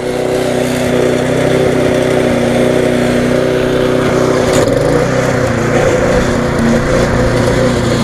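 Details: Viking (Stihl) mulching mower with Briggs engine after classic carb refurb, suspected water ingress; steady, even single-cylinder buzz at a slightly fast speed, smoke easing off, no misses or surging; running well.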